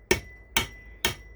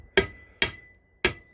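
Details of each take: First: Slow, even hammer taps (about two a second) on a press-fit signal base over its pole, set on a concrete floor; each tap rings, meaning the base isn't fully seated yet. The tone turns hard and sharp once it's all the way down. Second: Eight crisp hammer taps, about two a second, each turning hard and sharp as a press-fit railroad crossing signal base is tapped onto its pole, aligned to the weld line: base fully seated.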